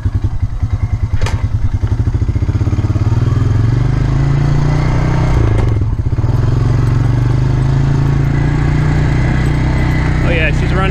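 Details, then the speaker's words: 2003 Honda Rancher 350 ATV single-cylinder, about 243 miles, after valve adjustment; starts without throttle, steady low thump evening out while riding, earlier valve ticking gone, running healthy. "let's uh crank her up and see how she sounds wow it's pretty nice didn't even have to give it any gas or anything no more uh no more noise either"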